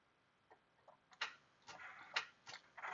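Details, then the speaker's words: Chevy Trailblazer 5.3L V8: one sharp click at each key turn with no crank, while battery voltage looks good; a single click rather than multiple clicks points to a faulty starter motor. "just every time you turn the key one click but no crank a lot of times that is your starter"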